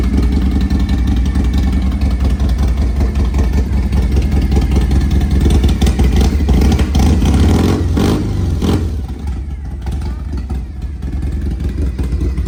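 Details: 1993 Harley-Davidson FXR, S&S 82ci V-twin, two-into-one exhaust, warm restart; steady loping idle with clean throttle blips, even firing, no rattles; healthy.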